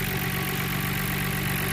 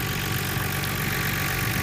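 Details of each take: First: Nissan R32 GTR after gasket replacement for a vacuum leak and AAC valve adjustment per the service manual: smooth, even idle around 950 rpm with no stumbles or hunting. The car runs quieter; normal idle. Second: Nissan R32 GTR six-cylinder after vacuum leak repair (gaskets replaced, AAC valve adjusted per service manual), cold, idling about 950 rpm, heard from the other side of the engine: quiet hum with faint irregular light tapping; owner unsure if it's a knock or normal.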